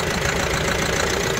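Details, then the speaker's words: Mahindra Bolero Pickup BS6 diesel with a starting problem, stalling after start, fault codes including P0088, P262B, P128, P1233, P1832: just started, an uneven lumpy clatter with a shaky pulse; rough idle with heavy engine vibration. "मेरे कितना engine vibration हो रहा है, engine vibration हो रहा पूरा, देखिए race लो, बस।"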